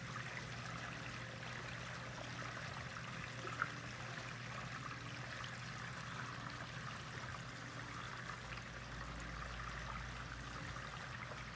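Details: Water trickling and gurgling through a 2-inch PVC drain pipe, with a low hum underneath; owner wants to quiet the gurgling.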